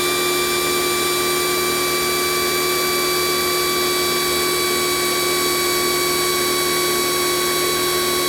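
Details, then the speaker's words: Kioles pressure washer failing on its second use (weak pressure, defective power switch): steady high-pitched whine with fixed tones keeps going after the trigger is released; motor never cuts off. "but note that the mother has never turned off the motor keeps running continuously as soon as I stopped here the high pressure wine again"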